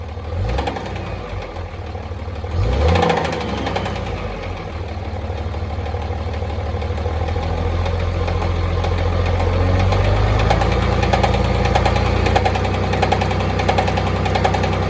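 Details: Cummins diesel idling with a deep, fairly steady knock of three to four hits a second over its clatter. The owner suspects a flex plate, rod or main bearing knock; unconfirmed.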